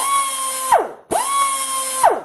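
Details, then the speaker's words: Air grinder on a 7.5 CFM compressor with the cheap AR-2000 regulator bypassed, air hooked up directly: two bursts of a high, steady whine that sweep down on release. It spins at full speed, maybe 50% faster than through the regulator. "can hear the difference it's obviously spending a lot harder it could be running 50% faster"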